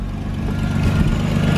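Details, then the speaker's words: Chevy Malibu, first start after its exhaust gasket was flux-core welded: deep, even exhaust note rising cleanly with revs, no raspy blow or ticking leak, and much better than before. "wow that sounds that sounds way better than it did before eh"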